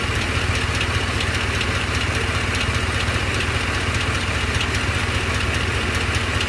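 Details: Truck at steady idle with a light regular tick, about two or three a second, over the engine hum. The owner suspects a cracked flexplate, not confirmed.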